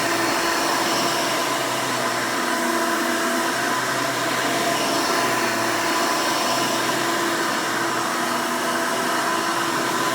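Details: 1992 Hoover Elite II Total System Performance 650 U4689-910 upright vacuum, motor untouched since purchase: loud, steady roar with even hum, no surging, rattles or scraping; owner says it runs nice and smooth, normal running.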